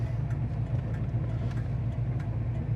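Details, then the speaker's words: 1978 Pontiac Firebird Formula, 400ci V8, at low smooth idle: steady, even flasher clicking as both turn signals cycle, indicators working on both sides of the dash. Normal turn signal operation. "That sounds good. Turning indicators work on the dash, both sides."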